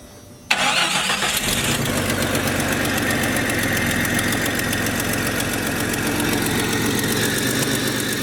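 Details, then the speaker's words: Jeep started after replacing the radiator, power steering pump, belt and harmonic balancer, with a new cone air filter; catches quickly and settles into a steady, even idle with no knocks or misses. Slight leak, later found at the front oil pan gasket. "Sounds like there's a slight leak, but she's running alright. At least everything that we worked on seems to be holding up so far."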